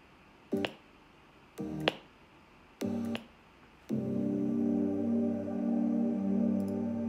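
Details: MacBook Pro 16-inch speakers: sharp pop at each timeline jump in playback before music settles, in any app, at 44–96 kHz sample rates; not fixed by SMC/PRAM reset, 10.15.1 update or bitrate change; cause unknown.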